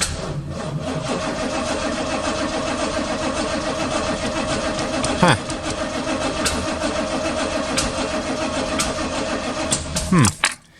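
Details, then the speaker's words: 1985 Chevrolet Corvette C4, sat about 2–2.5 years: the starter churns the engine over steadily for about ten seconds with no firing. Cranks but won't start; the owner suspects no fuel and checks power to the fuel pump. "well that's not good it's just turning over"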